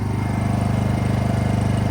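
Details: Honda EU2000i generator after cleaning a badly fouled carburetor and adding a fuel shutoff switch to run the carb dry: steady, even pulsing hum with no misses or surging; running normally.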